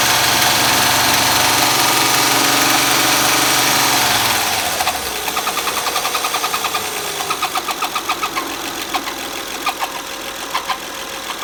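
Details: Honda Accord at idle with a sharp, regular chirp about three times a second; the chirp remained with the drive belt removed, and with the front cover off a damaged camshaft lobe was found.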